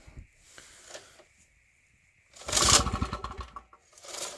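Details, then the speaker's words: Champion generator that died after spewing heavy white smoke, then seized and was freed. The rope pulls light and spins freely with no compression thump and no firing; no compression from catastrophic valve failure. "me that sounds like death no turnover it's very easy to pull this rope by the way"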